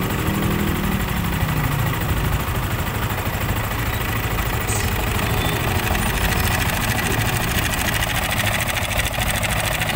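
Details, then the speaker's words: Motorcycle engine at idle with the MBR1 manual cam chain tensioner deliberately loosened: a fast, loose ticking rattle about three times a second over the idle. This is slack cam chain noise, meaning the tensioner needs adjusting, by hand only, not with tools, to avoid wearing the chain guide. "So yun, pag narinig nyo na yun, kailangan ipapa-adjust nyo na itong manual tensioner."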